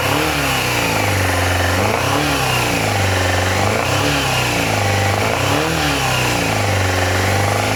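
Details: Yamaha FZR400 after carb rebuild kit, new No. 4 carb and battery, on a syringe of fuel with starter solenoid bridged: catches and pulls through smooth repeated blips with steady firing, no knocking or rattles. Oil smells fuely. Sounds healthy.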